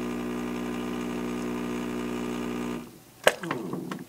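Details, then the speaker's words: Espressione Supremma super-automatic espresso machine making a double shot: even buzzing grinder hum for almost three seconds, then cuts off to a few clicks; normal second grind partway through brewing for the double. "when it gets about about halfway it'll stop and it'll grind again that's because it has to grind more coffee for the Brew grp to make your double shot so that's a normal normal function"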